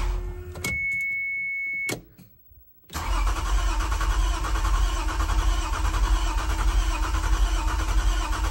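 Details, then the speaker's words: 1993 Toyota MR2 SW20 with swapped-in 2GR-FE V6, first start attempt after install; warning chime then steady rhythmic cranking about two beats per second that never catches, seems close to catching; crank no start, owner suspects a popped fuse. "sounds like it wants to maybe try and catch"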